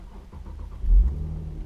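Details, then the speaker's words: 2015 Infiniti Q60 3.7L VQ V6. The starter cranks long and the engine chugs as if the battery were weak, then catches with a rev flare and settles to a smooth idle. This hard start is normal for all VQ 3.7L engines. "You see how it kind of chugs to life and then fires up and then comes to a nice smooth idle."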